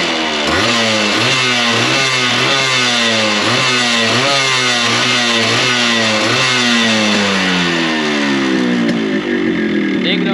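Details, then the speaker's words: Yamaha RX100 two-stroke that had an engine noise traced to wear play in the cylinder block and piston; both were replaced. After the repair it revs up and down crisply, the pitch rising cleanly with throttle, with no knocking or rattle. The engine sounds healthy. "मैं सोच रहा था noise आया होगा लेकिन नहीं लेकिन यह ब्लॉक पिस्टन का नॉइस था ठीक है जो की प्रॉपर्ली मैंने चेंज कर दिया"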